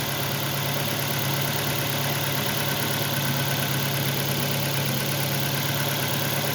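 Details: 2006 Ford Focus after hard starting and bad engine shaking, with new coil pack, spark plug cables and a connector replaced: even, steady low hum with no stumbles or dropouts, engine now idling smoothly and healthy.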